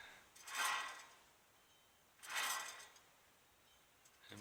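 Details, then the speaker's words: 1998 Dodge Ram 1500 4x4, removed front right hub spun slowly by hand. Rough rattling bursts like needle bearings falling apart, with no back-and-forth play: a worn-out wheel bearing. "an awful racket when you spin it slowly sounds like needle bearings are falling out all the place"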